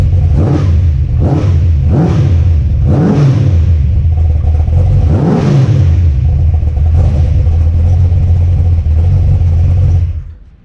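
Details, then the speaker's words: Mopar Ramcharger V8 after ignition upgrade, brake booster disconnected and plugged, carburetor unadjusted: rough loping idle surging up and sagging every second or so; owner thinks it needs more timing. "Okay, that sounded like I needed some more timing in there. I have not adjusted anything on the carburetor right now."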